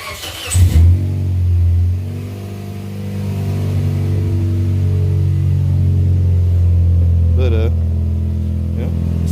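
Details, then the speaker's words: 2004 Scion xB in a garage after the rusty rear exhaust section was welded, with no muffler fitted: a deep, loud drone that swells as revs rise and settles back, with no puffing or ticking from leaks. Loud open exhaust. "let's see what she sounds like and it's gonna be loud cuz you know we're in the garage and there's the muffler"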